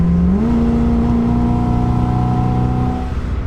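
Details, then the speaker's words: 1969 Oldsmobile 98, formerly seized, at full throttle after ignition timing was retarded slightly by ear: smooth rising drone that levels off with no metallic pinging; detonation cured. "no more pinging. Took a little bit of timing out of it. Seems happy at this place."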